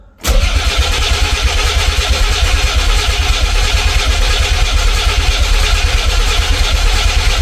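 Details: Nissan 300ZX twin turbo, first start in 12 years, after battery was charged: starter churns steadily and unevenly for several seconds with loud low drone, engine never fires; crank no start, codes to be read, cause unknown.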